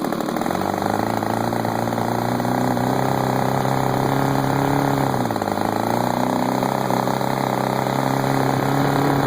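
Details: DLE30 two-stroke engine buzzing steadily, dipping in speed briefly then recovering; vacuum leak at the reed block gasket, found by spraying carb cleaner.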